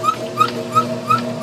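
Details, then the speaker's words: Worn compressor on belt-driven refrigeration test bench running at very low speed; sharp high squeak about three times a second over slow hum; owner unsure if typical of these compressors or this unit, suspects poor lubrication/piston ring wear. "you can hear that squeaking already now I don't know if that's a characteristic of these compressors in general or if uh or if um it's just this particular compressor"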